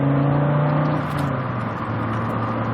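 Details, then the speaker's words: 1991 Audi Coupe Quattro under acceleration while driving: the engine pulls cleanly, strongest around 3,500 to 6,000 rpm, with a smooth, steady drone and no knocks or rattles; healthy. "is definitely noticeable a lot more at around 3,500 through 6 rather than low range that you'll get with other engines, which is fine. It's a lot more fun to drive that way."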